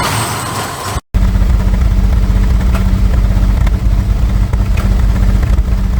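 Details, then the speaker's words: Barn-find Jaguar Series 3 V12, started after fuel tank and sender unit work: low, heavy idle with an uneven, stumbling beat and occasional dropped pulses; a cylinder is missing, rough idle with misfire. "Definitely missing a bit."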